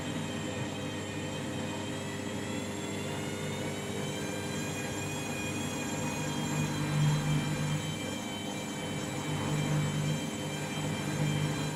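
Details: Washing machine final spin after a very sudsy final rinse, load sensor setting spin speed; loud steady whirring roar with wavering tones and low rumble, excessive spin noise, cause not identified.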